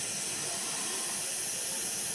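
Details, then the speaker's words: RV absorption refrigerator that had been cooling poorly for days, gas and electricity shut off: a continuous sharp fizzing hiss with no rhythm. Ammonia mixture is escaping under pressure from a ruptured pipe in the cooling unit and dripping into the flue. "I heard it uh starting to kind of a fizzing sound and you can see uh can hear the ammonia there's an ammonia leak in there"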